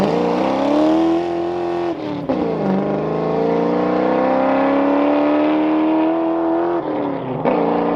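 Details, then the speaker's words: Fox body Mustang V8 (about 200 hp) on street drive with new full 2.5-inch exhaust replacing restrictive 2-inch over-axle pipe, BBK shorty headers; deep smooth burble pulling through revs with lift between gears, unrestricted, healthy exhaust note. "all right there you guys have it it's pretty good this thing sounds way better it's not restricted anymore"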